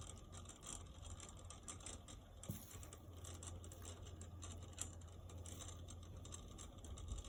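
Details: Outside hose faucet making a strange noise: a low steady hum with a fast, fine ratchet-like chatter running through it, the faucet rattling internally, cause unknown.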